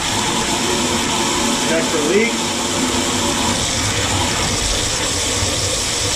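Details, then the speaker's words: HALO 5 whole house water filter just installed, forced regeneration cycle running 10 minutes: loud, constant hissing rush of air and water under pressure from the drain; trapped air purging normally. "A lot of pressure coming out of that. Hear it? Woo! 10 minutes here. That's all the air coming out."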